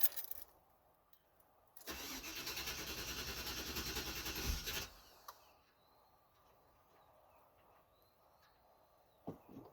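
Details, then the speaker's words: Cadillac Fleetwood after coolant restriction valve and heater core hose replacement, cold start at -2 degrees: several seconds of steady starter cranking with fuel pump heard and gas smelled, but no firing; first refusal to start, cause unknown. "This is actually the first time where it's refused to start. What the actual fuck? Put that on so I don't hear the buzzer. I hear the fuel pump."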